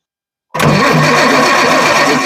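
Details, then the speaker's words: 1966 GMC bus chassis RV with Perkins diesel, sat 30 years, new injection pump being bled with lines cracked: starter spins steadily about two seconds but never catches; air-locked fuel system. "second now's a ton of air lock H get narrow down there getting her down to the all the air out"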